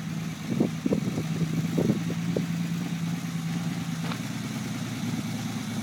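After a few early clunks the engine settles into an even, low, steady idle with no knocks or misses: runs healthy.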